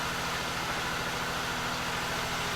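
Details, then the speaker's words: 1989 Buick Reatta engine after replacing ignition control module, serpentine belt, battery cable and grounds: steady, even idle sitting a little high while it learns to idle down, no misfires heard, far smoother than before; normal smooth idle. "sounds way smoother than usual. Yeah, it sounds better. Now it just has to figure out how to idle down. It's learning. Sounds like a NASCAR. I don't hear misfires."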